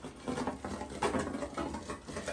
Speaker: So I'm working with a Luna G3 AutoPAP right now, and I just turned it on so you can hear what the gurgling noise sounds like in your tubing.